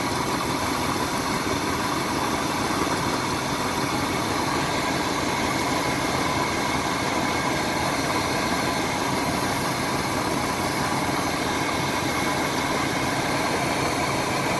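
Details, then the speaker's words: Older RV with 454 engine at idle after replacing the carburetor gasket to cure a vacuum leak: steady, even idle, smooth unbroken hum, no hunting or rpm drop; normal idle. "certainly seems to have stopped definitely there's no drop in rpms now which is awesome"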